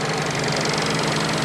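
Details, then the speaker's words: Fiat Panda 4x4 Sisley petrol engine after a cold start, heard under the bonnet; the failing fuel pump needs tapping to work. Brief steady tick-over with the injector ticking and no miss or knock over the hiss; running normally. "But yeah, that's a running engine. You can hear the fuel, the injector ticking away."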